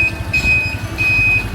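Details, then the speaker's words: 1981 Honda Super Cub 700, three-speed: steady low idle beat with high pulsing turn-signal buzz over it as front, rear and right signals flash; engine running evenly, signals working. "Kalau motor zaman dulu tuh kalau ngesen bunyi, ada suaranya. Sen depan belakang hidup, sen kanan nyala juga,"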